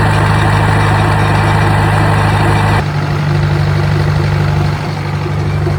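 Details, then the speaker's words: Old Detroit diesel on a rock crusher plant, first start in about 3.5–4 years after a starter rebuild and faulty solenoid fix: fires right up, nearly runs away, then a deep, steady drone with no misses or knocks, normal running. "Fired right up. I thought it was going to run away for a second. Cool."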